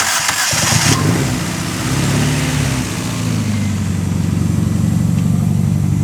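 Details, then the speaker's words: 300+HP Toyota Starlet 4E-FE with new head studs and gasket under a week old: lumpy, uneven idle, low on one cylinder, with white smoke from the exhaust; suspected blown head gasket. "all right so it's definitely low on one cylinder and your reckon is blowing a bit of smoke give it a rev"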